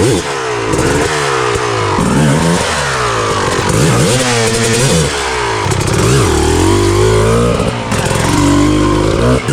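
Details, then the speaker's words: Rebuilt 2000 Honda CR250R two-stroke with a full FMF exhaust, running after being kick-started: crisp revs climb and fall cleanly with the throttle, no misses, bogging or rattles. Healthy, normal running. "You hear the thunder? We woke Mother Nature up, baby."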